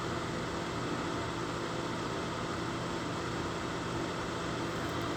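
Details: Lasko 1500 W, 12.5 A plug-in electric fan heater with thermostat, cold air in top, hot air out bottom, on concrete block over gray rug; steady soft whoosh with faint even hum, no rubbing, ticking or rattle: normal running.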